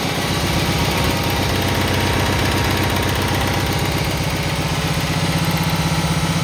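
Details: Cub Cadet 782 single-cylinder mower engine after a choke cable repair, started with choke: steady, even chug at about 158 beats a minute, holding speed with no misses or knocks; running healthy.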